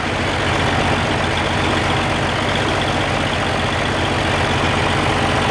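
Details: Oliver 1550 diesel tractor after reinstalling rebuilt number six injector, lines bleeding air: uneven lumpy idle about four beats a second; number one cylinder not firing, its exhaust port staying cold, injector to be pulled.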